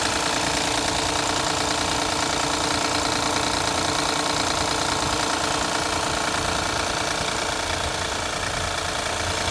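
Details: Car engine idling right after a cold start, parked overnight in cold weather, with a steady knocking tick about three a second; the noise went away once the engine warmed up: cold start engine knock.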